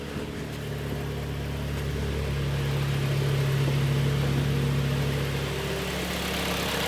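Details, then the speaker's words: Kia Sportage G4KD (113,000 km) after cylinder block sleeving and oil-jet repair for a heavy piston knock, heard from outside: steady, even, quiet idle hum with no knocks or ticks; normal idle. "работает ровно работает Тихо"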